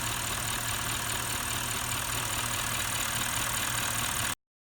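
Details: Bentley with the Audi 4.0 litre twin-turbo V8 idling steadily with an even low beat and no stumbles or skips. This follows a direct-injection carbon-cleaning treatment for a carbon-related misfire. Smooth, healthy idle.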